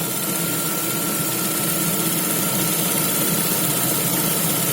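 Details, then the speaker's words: Lada Vesta idling with a light uneven knocking rattle near the belts that disappears when the clutch pedal is pressed; worn Valeo clutch disc damper springs, not pistons. "Нет, поршневая не стучит. Стучит диск сцепления."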